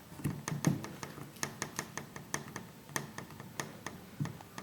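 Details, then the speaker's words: 2012 Jeep Wrangler Rubicon Unlimited, knocking from behind driver's seat: sharp light uneven clicks and knocks as the rear door handle is worked in and out; rear door latch area suspected as source. "in and out. It's kind of the knocking sound I'm hearing from the back. I don't know what the hell it's hitting."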